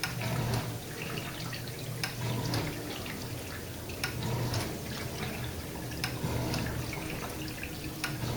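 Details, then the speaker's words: Samsung dishwasher after removing plastic debris from the circulation/wash pump: steady water swishing and low pump hum with no grinding, sounding normal early in the wash cycle; the grinding later returned about 15 minutes in. "okay guys that's how it's supposed to sound no grinding noises nothing like that"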